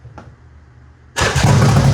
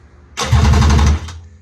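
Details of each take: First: Budget 7-foot mini jet boat two-stroke engine, first start ever after fuse and kill-switch wiring fixed: catches and revs with a raspy, even howl, kill switch cuts it cleanly, restarts and pulls smoothly; running right. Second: Budget 7-foot mini jet boat engine, first-ever start attempt on a new battery, fuse replaced, temporary starter/kill switch: short burst of fast, even cranking that never catches; crank no start, no fuel reaching the carburetors.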